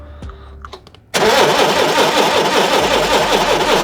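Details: Forklift ignition system: steady starter cranking about three to four turns a second with no firing; no spark reaching the plugs, brown wire damage suspected near the solenoid, during spark plug testing.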